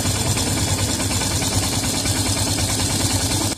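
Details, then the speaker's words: Yamaha FZS V3 single-cylinder after timing chain replacement, timing set to marks and cam chain tensioned, before tappet adjustment: steady even idle with none of the earlier tractor-like clanking from the cam chain. "अहिले पहिला जस्तो नइज पनि छैन र टङटङ र टुङटुङ पनि गरे्या छैन।"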